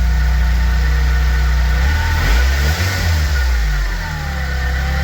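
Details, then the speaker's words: Nissan 200SX project first running in a long time once the fuel pump worked: steady, even idle with a quick clean rev blip settling straight back; runs smoothly. "oh it sounds so nice too all right I'm going to shut it down but hell yeah it [Music] runs"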